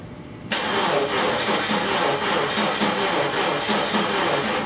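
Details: 1999 Subaru Impreza: starter cranks steadily about three turns a second with no firing; crank-no-start, ignition coils firing with key on and injectors possibly firing too.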